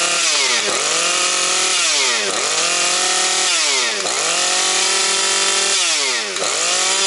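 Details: Husqvarna 130 chainsaw with its replacement carburetor, not yet at operating temperature and smoking from extra oil: it screams at full throttle, bogs smoothly into each cut and recovers cleanly about every two seconds. Strong under load.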